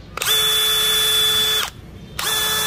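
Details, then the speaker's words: New DeWalt DCD996 hammer drill (DCK299P2 kit) run unloaded at its fastest speed: a smooth, steady high motor whine with a clean start and stop, no rattle or grinding. A healthy run. "các cấp độ nhanh nhất mà anh chị nghe tiếng máy dcd996 cực kì em"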